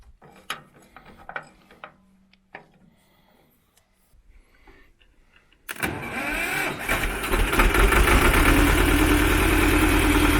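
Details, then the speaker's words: Belarus 250AS tractor, two-cylinder air-cooled high-compression diesel, 12 volt, after replacing battery cables with 3/0 cables to cure slow hard cranking: quick crank catches promptly, settles into steady even idle; normal start and idle. "Okay, the tractor started way easier with the large battery cables, and given these cables are really large, but we have had similar issues with tractors before, especially if you're running 6 volt."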